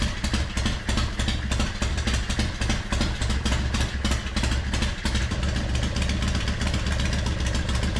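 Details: Carburetted Harley Softail V-twin that had been missing or fuel-starved, after cleaning the dirty enricher circuit and refitting the original intermediate jet: loping, uneven idle with no misses or stumbles, fixed.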